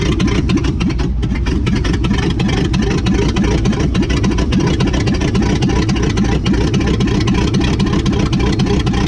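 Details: 1959 AMC Rambler Ambassador, parked in a Texas field since 1982, on its first start with little fuel: a loud, deep, uneven V8 rumble, raw and barking. Valves and rings are suspected sticky and the dual exhaust fell off.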